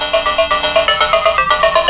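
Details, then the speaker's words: Atari Lynx model 2 after replacing all capacitors and moving two long capacitors off the speaker housing: clean loud chiptune at max volume, crisp notes, no buzz, rattle or crackle; previous distortion and low volume fixed. "max volume it sounds much better so yeah I guess the capacitors did do the trick"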